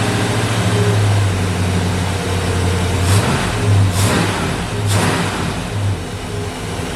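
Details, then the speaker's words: 1964 Ford Fairlane V8 with large cam and old Busch Series race carburetor, first start after swap: loud fast uneven idle with blips, probably over a thousand with idle screw fully down; secondary blades open too far. "what we run into there was that this thing's Island way too high even with the uh idle screw turned all the way down it was still idling probably over a th"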